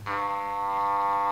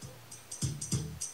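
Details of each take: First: Panasonic RX-C100 boombox speaker during re-foaming, 100 Hz test tone: centered cone hums cleanly, then pushed off-center turns harsh, buzzy and raspy; voice coil rubbing in the magnet gap. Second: Panasonic RX-C100 boombox speaker after re-foaming and re-centering, playing music on line in: clean punchy drums and firm bass, no buzzing or scraping that earlier seemed to come from the voice coil rubbing on the magnet; normal playback.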